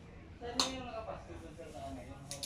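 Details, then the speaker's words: Mitsubishi Lancer A/C relay bench-tested off the battery while chasing no cooling and a compressor not engaging: a crisp single click on energizing, then lighter ticks; the relay pulls in cleanly and is good. "It has a ticking sound but our tester is not shining because we don't have a common source"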